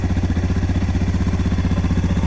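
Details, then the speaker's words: Suzuki DR650 single, choke on, original tank with rebuilt petcock and a used carb replacing the TM40 suspected of a lean condition: even, steady thump of about ten firings a second, no ticks or knocks; previous noise gone, normal idle. "No noise whatsoever. So the TM40 for some reason was creating I think it was a lean condition."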